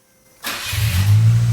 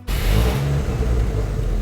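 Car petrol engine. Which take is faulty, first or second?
second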